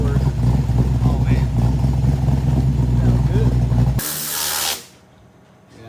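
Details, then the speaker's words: 1994 Mustang GT SN95 V8 after a head repair and valve adjustment, no custom tune yet: a steady, even idle with a smooth regular low beat and no ticking or knocking; it runs very well. "It's up and running very, very good, even without a custom tune yet, even without"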